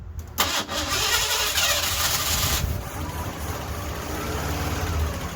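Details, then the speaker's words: Ford LTD at startup after the distributor was advanced slightly: catches into a rough idle with light, rapid ticking from the top end. Lifter tap or valve train noise, though valve train was just adjusted. "now you heard it was uh tapping pretty bad there that's a lifter tap for sure either a lifter tap or um valve train noise"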